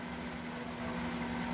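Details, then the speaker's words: Microwave oven after replacing its capacitor, which had caused a strange noise: now a steady, even low hum with no buzzing or rattling, running and heating normally. "tem nada estranho tá funcionando de boa a beleza"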